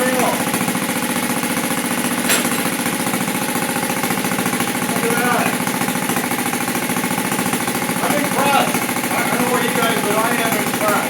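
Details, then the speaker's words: 1971 Honda CT70 right after fitting a new Amazon clone carburetor, choke on, idle and mixture unadjusted: quick even single-cylinder putter, idle maybe a bit high, no misses or knocks; normal running out of the box. "I mean, the idle even seems pretty good. Maybe a little bit high, but man, that's really good out of the box."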